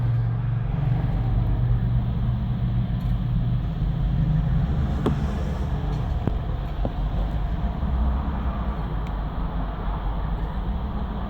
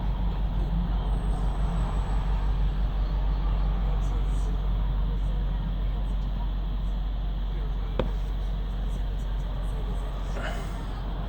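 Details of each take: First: BMW 750Li cold engine: starts and idles perfectly, but after stop and restart runs rough, misfires and revs hunt; owner notes it runs rough around 50C when switching from partial throttle to VANOS operation. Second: BMW 750Li petrol engine on first start, idling perfectly with a steady even low hum; after a stop and restart it runs rough, misfires and hunts, when cold, up to about 50C at the switch to VANOS operation.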